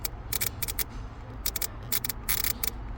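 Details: 2007 Honda Civic that sometimes won't start, fuel pump relay removed: turning the key gives crackling, buzzing clicks from the starter cut relay with no cranking; the cure is replacing the ignition switch, assuming the battery and charging system are good.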